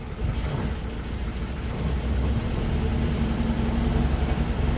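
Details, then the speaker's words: 1968 VW Type 3 1835cc, cold start, lumpy uneven low idle until the second carburettor bank kicks in, then smooths: cold start misfire, one carb bank not yet firing. "I'm waiting to hear that second bank kick on. There it is. Now Now it should be completely fine."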